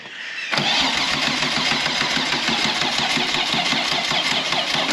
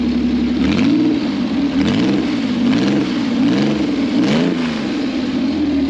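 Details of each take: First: 2 L V6 trike on battery, fuel in tank: starter spins the engine with a steady, even chugging rhythm but it never catches; crank no start, traced to a seized fuel pump giving no fuel delivery. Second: Customer's 2 L V6 trike, very short exhaust with basically no silencers, started after fuel pipes reconnected: loud, clean note rising and falling smoothly through repeated blips, no misfire or knock; revs normally, fuel pump still judged dodgy.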